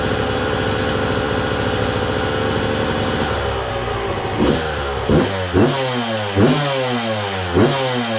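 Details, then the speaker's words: 2002 Yamaha YZ125 two-stroke dirt bike, freshly rebuilt with carburetor cleaned and choke left on for break-in, idles steadily then blips with clean revs; crank sounds good, no knocking or clattering. "Crank sounds good. There's no knocking or clattering, which I honestly didn't think there was any problem at all with the crank after, you know, looking at it, cleaning it up."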